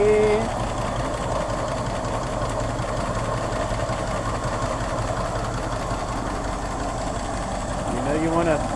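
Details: 1964 Ford Thunderbird restarted and idling warm, oil pressure a little low: idle lopes unevenly with irregular low thumps instead of a smooth beat, rough running, possibly a misfire.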